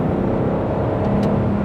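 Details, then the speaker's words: L322 Range Rover V8 in manual mode, kicked down into third from 40 to 60 mph: deep, smooth roar pulling strongly and evenly with no misses or knocks; healthy engine. "And that's 60 just like that. It makes a wonderful sound, this engine. Absolutely wonderful."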